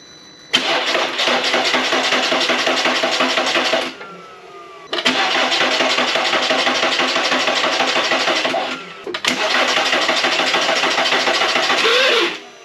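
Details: 2005 Volkswagen Beetle after front-end collision repair, first start attempt on battery pack: three cranking bursts of about three seconds, steady starter churn that never catches; cranks but won't fire, battery suspected, cause not confirmed.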